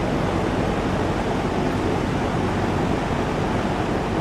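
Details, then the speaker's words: Kenmore Roll-A-Matic box fan, 23 in, speed dial at highest position: loud even rush of air with low steady hum, no ticking or wobble; fan runs smoothly on high. "It's all the way towards the highest position. And this thing is moving some good amount of air a good distance."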